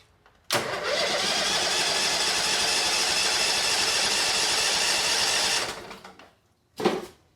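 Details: 2006 Mud Buddy HD Mini surface drive, 23 HP Briggs Vanguard, about 15 years old, started on choke: catches at once, runs at a steady even beat about five seconds, then dies cleanly at the kill switch; normal start.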